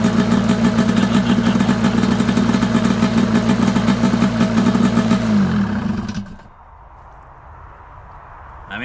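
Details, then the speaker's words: Arctic Cat F7 snowmobile two-stroke, idling on the stand after it snuffed out as if seizing and the fuel was swapped to fresh oil-fuel mix. Crisp, even burble holds steady then winds down and stops; runs clean and healthy. "still running. Sounds kind of crisp. We know we got oil in the fuel."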